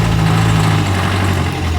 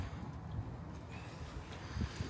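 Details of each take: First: Crash-damaged salvage 2011 Ford Ka that sat a long time in salvage: steady even low idle rumble with no misfires, ticks or knocks; runs sweet and drives. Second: Salvage Ford KA with a new battery: starter cranks steadily at about three and a half turns a second with even compression pulses but never fires; crank-no-start, crash fuel cut-off suspected.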